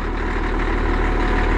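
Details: Cat D6D dozer, late 70s/early 80s, diesel at steady even idle with deep unbroken chug, no knocks or misses, after starting well; owner suspects a hydraulic hose leak when lifting blade. Normal idle.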